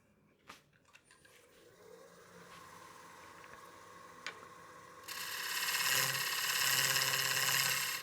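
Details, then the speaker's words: Cutting a highly figured walnut platter on the lathe: a quiet cut, then a loud, harsh buzzing rattle for about three seconds as the tool chatters on the rim edge; the fix shown is switching the handle over and easing off the cut. "If you're getting some chatter on the edge of your rim like that, you can hear the chatter we're getting."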